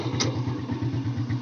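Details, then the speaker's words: SYM RV1-2 motorcycle after swapping in an SLV carburetor from an XRM 110: with a weak battery it is kick-started, catches on one kick and settles into an even, steady putter. "Kaya one kick lang, okay na, start na kaagad."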